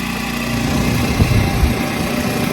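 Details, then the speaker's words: Champion generator (about $1100) powering a home AC condenser fitted with a soft start kit; the engine note changes as the compressor kicks in, then holds a steady, even drone under load with no hunting or misses; running normally. "it's running I'm waiting for the compressor to kick in oh here's a hear it you hear it change his tune oh yeah it's running now"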